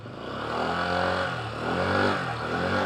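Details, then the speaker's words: Honda Click 125 scooter on its stand, about 11,400 km, running a 14° pulley: revs up and settles smoothly with no rattle or grind from the belt drive; CVT sounds quiet and healthy. "Tahimik naman ang ating CVT."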